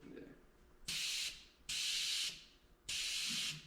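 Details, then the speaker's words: Weld beadlock wheel on a VW Oval being pumped up in a quiet room: three sharp half-second bursts of airy hiss that sound like a leak; the owner suspects the tube expanding and pushing out trapped air. "you hear that it sounds like it's leaking i don't hear from you i think it's like the um tube expanding and pushing the rest of the air"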